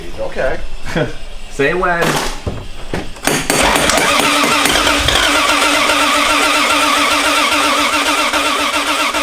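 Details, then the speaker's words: Intermittent, uneven cranking bursts that stumble and cut out, then a harsh steady roar on first start-up of a freshly swapped 1JZ VVT-i; starter not cranking consistently, ECU voltage drop suspected, starter later replaced. "try one more time well just keep trying it ah dang starter"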